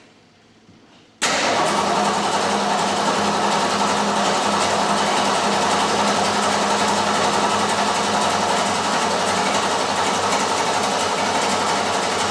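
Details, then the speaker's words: 1967 Ford Mustang 347 V8, coil wire removed so it won't start, cranked to prime the oil pump and build oil pressure after rear main seal oil leak work: steady even starter churn, no firing; normal cranking. "But first, what I'm going to do is I'm going to remove the coil wire so it won't start. So, I can crank it for a while to u fill the oil pump. pump up some oil pressure."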